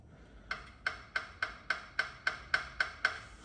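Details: Van front suspension rattle: about ten sharp hollow clacks, roughly three a second, as the part is shaken by hand. Backing plate was suspected but felt fairly solid; a battered airline was found nearby. Cause not confirmed.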